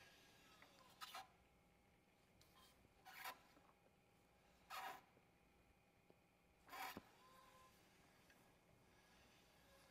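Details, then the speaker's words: 2024 Tesla Model 3 Performance test-fitting 20-inch rear Warp wheel on front with about 10 mm spacers: rasping scrape once per wheel turn, maybe hitting a zip tie, unconfirmed; wheel won't fit. "did you hear that let's find out what that is it sounds like it's hitting the zip tie but I'm not sure either way must be real close"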